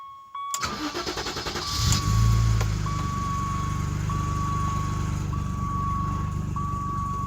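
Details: 1988 BMW E28 535is, engine cold: brief even cranking, quick catch with a rev flare, then smooth steady cold idle with check-control warning chimes; healthy cold start.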